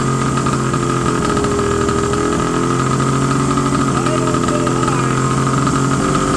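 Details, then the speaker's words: 1970 Polaris Mustang snowmobile two-stroke, first start after about 10 years sitting, plugs cleaned and primed: fast, steady buzzing idle well above normal tickover; high idle, to be turned down. "okay it runs idle little high I'm going to turn the idle down just a little bit"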